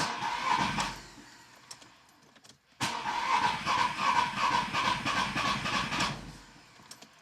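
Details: Audi A4 2.0 TDI diesel after turbo replacement, rocker cover loosely on: cranks, catches and clatters unevenly with a ragged stumbling beat before dying, still running rough; injector problems or compression loss suspected, diesel misfire.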